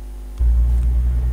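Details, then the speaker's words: 2006 Ford Mondeo 2.2 TDCi diesel with black smoke, lack of power, unstable idle and jerking; the MAF voltage did not rise on acceleration. With the MAF unplugged, a deep rumble catches and settles into an even beat without hunting. Normal running. "car is already going as it should go, so what we are going to do is buy the sensor and change it"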